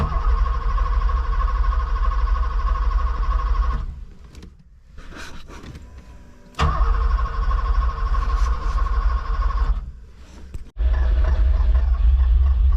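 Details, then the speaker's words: Long-sitting Porsche 928 manual with bad old gas: long bursts of steady cranking, a few brief catches, then dies; owner suspects one of its two fuel pumps not working or clogged/stuck injectors. "well it gets better and better every time I crank it but there's still something wrong with it"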